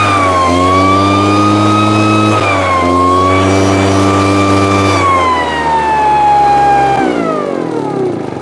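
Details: Husqvarna 150 BT backpack blower, after a no-start and bogging from a customer's wrong tank grommet and misrouted fuel lines, now with a correct grommet and properly routed lines: high two-stroke buzz climbs cleanly to full revs and falls smoothly without bogging. Running properly.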